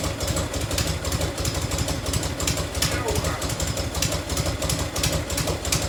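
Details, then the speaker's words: 1990 Harley-Davidson FLHTC Evo V-twin at cold, choked, loping idle with the shield off: sharp tick on every exhaust pulse, about three a second, from an exhaust leak at the crooked header clamp, which needs loosening, retightening or shimming. "you can see the clamp is a little crooked a little crooked on there i gotta loosen that off try to get a little tighter i might have to shim it a little bit"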